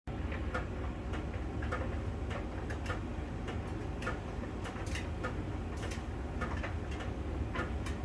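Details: Miele dryer during drying: light sharp ticks roughly every half to three-quarter second over the drum's steady rumble, made as the sensor ball touches a contact on the drum's outer surface; normal, nothing wrong.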